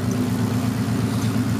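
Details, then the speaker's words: Turbo Cobra after idle screw adjustment, with 3-inch intercooler piping temporarily refitted and coolant bled: smooth steady idle around 1,000 rpm, no hunting or stalling on startup; normal idle. "And so now it idles right about at 1,000. Maybe just a little bit lower, so it idles real nice and smooth. It doesn't die when you first start it up."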